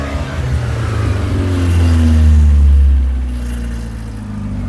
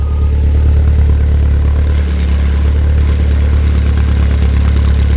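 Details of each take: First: Skoda 120 with 1.8 16v engine, running again after gear linkage repair: revs climb on a blip, then sag back slowly; sluggish throttle return, suspected from the altered throttle cable. Some black smoke. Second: Skoda 120 with 1.8 16v engine, running again after gear linkage repair, fresh fuel, some black smoke and oil burn-off, perished coolant hose leaking: steady, even low idle, smooth rumble, no knocks or stumbles.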